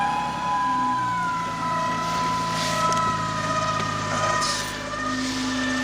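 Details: 2014 Dodge Challenger 3.6 V6 Pentastar, 100,000 miles: after hard throttle from a stoplight it sounded like gears slipping, then a steady high whine over the engine rising with speed; drives poorly, source undetermined.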